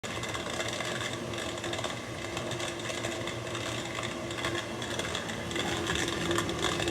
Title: Maytag dishwasher making a grinding crackling sounds